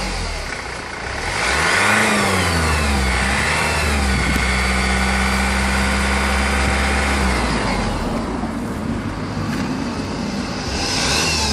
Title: Whining noise after chain was done. Honda 2.2 2004